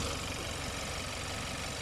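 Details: 2014 Hyundai Santa Fe, 2.0 turbo, 4x4, idling under an open hood during a pre-purchase inspection: an even, low hum with a light top-end hiss and no knocking or rattles, engine dry. Sounds healthy.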